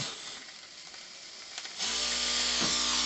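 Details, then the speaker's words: Cheddar Pintail live steam unit, tiny engine about 2 cc, ceramic burner, from a boat to restore, first test: fast, even high-pitched whirr and steady hiss after a quiet start; runs perfectly, maybe the engine could be tightened slightly. "peut-être qu'à deux bars tu pourras justic et de resserrer un tout petit peu mais voilà il marche nickel"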